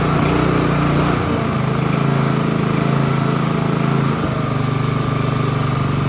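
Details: Honda HRB215 push mower, stored for years and not running, started on choke after refitting a missed part: small single-cylinder engine putters at a steady fast beat that settles slightly after a few seconds; runs evenly and healthy.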